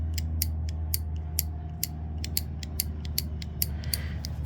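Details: Kawasaki KLR650 top-end ticking: crisp evenly spaced clicks about three per second, engine off, from the hand-worked KACR automatic compression release; owner believes this system causes the tick and both units behave the same.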